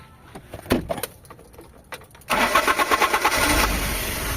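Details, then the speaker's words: Carbureted Toyota HiAce van with cold-morning hard starting, after carburetor cleaning and tuning plus distributor timing: a few light clicks, then it catches promptly into a steady even idle; normal start. "Ayan mga bossing, umaandar na y'yung makina natin."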